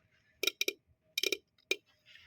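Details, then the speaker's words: 1985 Jeep CJ7 that sat several years not running, ignition on, shielding removed: sharp crackling snaps in short bursts, about five in two seconds, as a badly soldered or crimped ignition wire touches; arcing shows spark, connection to be fixed. "we hear some sparking. I'm going to assume that's some good sparking. Um, and that means we have uh ignition."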